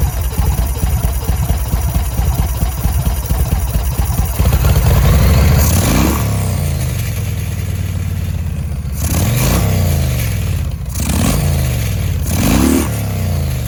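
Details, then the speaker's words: 2005 Yamaha Road Star 1700 V-twin, first start after years sitting, enrichment cable seized: revs climb unevenly and stumble on throttle opening with sharp pops; hesitation and backfires off idle, owner expects it may die under load. "but it did start did have some hesitation and some backfires um which you can't really tell with that hesitation from the very start of the throttle when you actually put it under a load it's probably gonna die"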